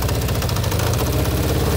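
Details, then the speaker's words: 1992 Yamaha XJ600 Seca II below 1500 rpm: an uneven chattering rattle over the idle as the clutch basket judders, because the factory 5 mm pin to the oil pump drive gear is undersized (a 5.5 mm pin is the usual fix); harmless but noisy. "yeah so you hear that noise that's the sound of the juddering clutch it's not a problem but it's not very nice on the ears"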